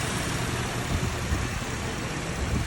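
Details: Cadillac that had been overheating, after repair: steady, even engine idle with a smooth cooling fan rush, no knocks or surging; cooling fan running normally, car no longer overheats on test drive.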